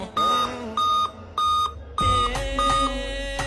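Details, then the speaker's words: Laptop beeps about five times in quick succession at startup; replacing the RAM didn't stop it, traced to a weak CMOS battery. "Ya udahlah ya, kita coba bongkar lagi karena udah curiga langsung ke baterai CMOS-nya."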